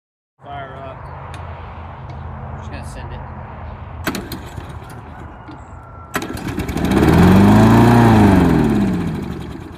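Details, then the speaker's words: Discarded lawn mower found at recycling center, probably Briggs & Stratton engine, no primer, little gas; small single engine catches at once and settles into a steady even run; healthy start, though it later died. "it's a good sign well so far it seems like we got a good working mower"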